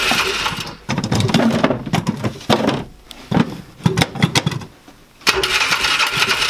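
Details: 2005 Polaris Ranger 500 UTV, non-runner, cranked in neutral with a little choke: repeated bursts of starter cranking with a few weak catches, never running on its own. Low compression suspected; starter later stuck on. Cause not confirmed.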